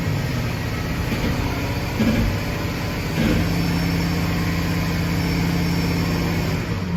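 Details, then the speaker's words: Ford V8 truck under light load after swapping plugs between cylinders 4 and 5 and coils between 4 and 1: uneven, loping low beat with stumbles; dead miss moved to cylinder 1, slight miss on 5. "Number 1 and a little bit on number 5. Dead miss on number 1, a little bit on number 5."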